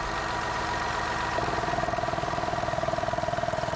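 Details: 2010 Ford Escape with code P0456 (EVAP leak) and a suspected faulty canister purge valve: over a smooth idle, with the hose off and the valve plugged in, it ticks crisply at about four clicks a second and draws vacuum properly.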